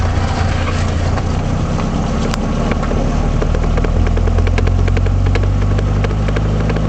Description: Triumph Spitfire rear knocking noise. This noise was caused by the failure of the passenger side axle universal joint.